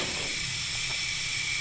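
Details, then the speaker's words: Jeep Wrangler with a 5.7 HEMI airing down a tire with the valve core removed: thin high-pitched whistle over air hiss as it nears target, gauge reads 11 psi, close to the 10 psi wanted. "you can hear that whistling sound right there so we're just going to check that we are at 11 pounds so we are almost there"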